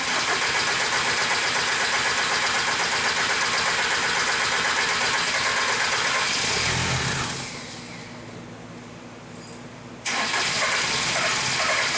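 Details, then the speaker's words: 1998 VW Jetta 1.9 TDI, no-start with trouble code 00550 and heavy smoke when cranked: steady cranking about four beats a second with rough labouring note; tries to fire but never catches, before booster pack. "as you can see it kind of tries to start trying sounds like it wants to start we'll put a boost box on it as Courtland said and see if see if it does any better"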